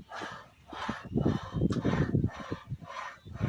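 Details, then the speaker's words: Kia K3 steering column: rough rustling scrapes about every half second from under the steering wheel as the wheel is turned back and forth; the electric power-steering column is being removed to find the source. "这台起亚 K3 在打方向的时候有沙沙的异响，响声是从方向盘底下传出来的。"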